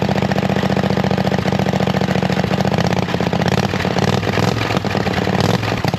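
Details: Hustler zero-turn mower with swapped V-twin engine, new carburetor, no exhaust fitted yet: loud, deep, loping, almost unmuffled thump at steady idle, running evenly; normal running with open exhaust.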